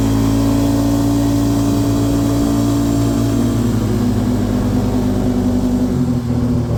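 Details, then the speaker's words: 2018 Polaris Sportsman 570, previously in limp mode (code 520 194-2, open throttle safety switch) fixed with two resistors; engine light still on: steady high rev easing down smoothly, no stumbling or cutting out; out of limp mode. "all right engine light's still on but see if this [Music] works seems good it's not in limp mode"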